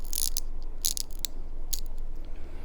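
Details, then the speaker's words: Vintage Bulova watch with sub-second dial, held close to microphone: quick bursts of dry, gritty ratcheting clicks as the crown turns, rougher than a healthy wind; faulty keyless works. "Obviously something's wrong there with the keyless works."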